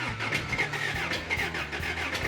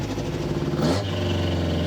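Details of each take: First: Freshly rebuilt 350 V8 on first start, timing close, before cam break-in. Idles lumpy with sharp irregular exhaust pops like raw fuel exploding, suggesting a rich carb; a loose rocker arm to be checked, and the front carb screws had no effect. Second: Rebuilt 350 V8 after carburetor screw adjustment cured exhaust popping: steady, even rumble with no pops or misses; running clean and smooth.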